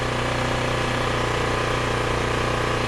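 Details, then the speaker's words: ETQ IN3500i inverter generator running after a new ignition coil was installed: a steady even drone with a regular low pulse around three per second, no misses, no smoke. It runs reliably and makes power. "okay guys so it's running it's running reliably which is the most important part"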